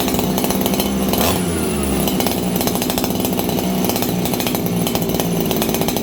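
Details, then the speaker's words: Farmertec 288XP kit chainsaw, just restarted on a new spark plug after an ignition repair, at about 5°C, before low-jet adjustment: a high, steady buzz without four-stroke burble that revs slightly peaky. Running lean, attributed to the cold. "This thing's running lean right now, and the reason is, friends, it's like 5 degrees Celsius."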